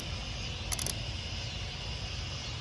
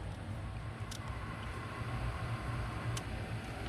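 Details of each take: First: 2004 Chevy Tahoe 5.3, sat six months, battery freshly charged: 10 V found on computer casing, so a jumper ground is added from negative to engine; quick sharp relay clicks over low hum, then fuel pump primes, pump relay now energising. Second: Chevy 5.3 whose dash lights stay on with the key out: two crisp relay clicks about two seconds apart over a low rumble; the electrical fault's cause is suspected, not confirmed.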